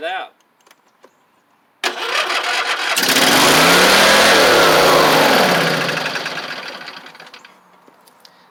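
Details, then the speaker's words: Husqvarna YTH24V48 V-twin with suspected internal carburetor issues: brief crank, fires, then revs climb high and sag unevenly without settling; governor broken again, owner suspects an internal engine cause. "the governor broke in it again so there's something going on inside of this engine that's causing these issues with the governor"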